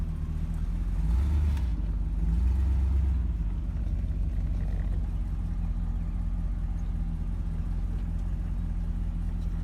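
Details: Chevy Cheyenne C20 V8 after fitting a new Edelbrock 600 cfm carb and replacing the water pump that had a bad bearing, driven a couple of days: deep, even burble at idle with steady low rumble, the previous grinding gone. Normal idle.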